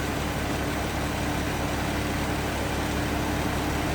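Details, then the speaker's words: 1925 Pierce-Arrow Series 80 Opera Coupe, 100 years old: steady, even low hum at idle with no misses, knocks or surges; runs smooth, only a touchy ignition switch noted. Normal idle. "Runs smooth. Like I said, just a little bit of a glitch or touchy ignition switch."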